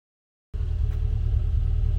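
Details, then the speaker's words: Classic Mini Cooper after freeing a stuck switch with WD-40. Low, even idle that settles and drops back down to a proper low speed with no hunting. "right so that's idling better now and it drops back down again so that's now working"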